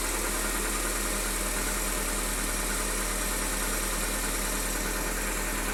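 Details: Fiat Palio 1.8R at idle: faint ticking chatter from the top of the engine that lasts a few seconds and then stops; source of the noise unknown.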